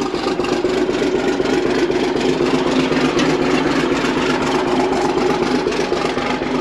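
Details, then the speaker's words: Old excavator abandoned for years, started by jumping with a screwdriver: big diesel chugging at a steady even beat, about four pulses a second, no knocks or misses; running normally. "well it took three people to get it started can you believe that"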